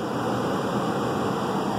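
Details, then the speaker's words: Lennox upstairs heat pump, blower drawing 1.4 A with the electric heater on: steady even air rush with no squeal, rattle or grinding; blower motor turns freely and works, failed ice cube relay to be replaced. "So we know that this blower is working and everything is gonna"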